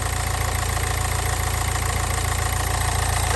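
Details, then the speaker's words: Nissan Juke diesel, very low mileage, engine looks fairly new, bonnet open: steady even diesel clatter at idle with a regular beat, no knocks or misses; sounds as alright as a diesel should. "i mean she's sounding all right it really is as as alright as the diesel would sound"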